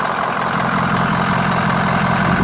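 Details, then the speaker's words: 2010 Ford E-450 V8, 83,773 miles, no check engine lights: loud, smooth idle with an even beat and no ticking or stumbling; engine sounds healthy. "engine sounds just like it should, idles smoothly."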